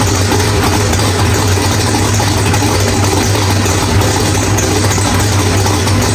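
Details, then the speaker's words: Drag car's first start after loose flex plate bolts were fixed, with a new ATI flex plate, Circle D stator and refitted Powerglide, transmission fluid still low: a loud, steady V8 idle that runs rich, with no rattle. "All right, guys. Well, everything sounds really good. Wow, that thing is rich in here."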